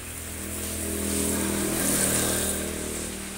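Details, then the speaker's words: Honda Beat FI (Beat ESP New) scooter idling after piston replacement; before, oil and second compression rings caused oil loss and harsh noise at the front of the head at 4000–5000 rpm. Now steady smooth idle, even low hum, no knocking or rattling, healthy. "Ini suaranya sudah halus, sudah seperti standar."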